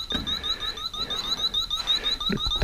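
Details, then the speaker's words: Electronic leak detector checking the R134a adapter on a Continental Mark III's A/C, rescued after 32 years sitting. It gives a high, fast warbling chirp nonstop, a false alarm because oil contaminated the sensing tip. "but now it's got oil on the end of it and it won't shut up and clean the tip"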